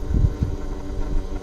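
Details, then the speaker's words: 2019 YFZ450R fuel-injected quad at key-on before its first ride, no throttle touched: a low, steady electric hum of about a second and a half, then cutoff. Normal fuel pump prime. "Not sure if you can hear the fuel pump prime, but I'm not going to touch the throttle or anything."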